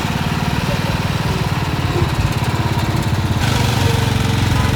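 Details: Massey Ferguson 7 lawn mower bought at an estate auction, first start after many years sitting; small single runs with a steady low chug, a little flutter and unevenness at first, then settles; normal running.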